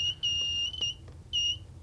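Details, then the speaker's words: Kit-built metal detector on a plastic box: short, high-pitched, steady beeps in bursts with no target present; false triggering, which the builder suspects comes from being AC coupled and picking up interference from things plugged into the wall. "I think what was happening is that I'm AC coupled."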